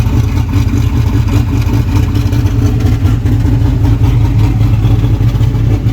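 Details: Freshly built boosted V8 in a truck after the old engine hydrolocked from coolant, street shakedown at about 5 psi boost: deep, heavy rumble with throttle blips, pulling strong and even, no knocks or rattles; healthy.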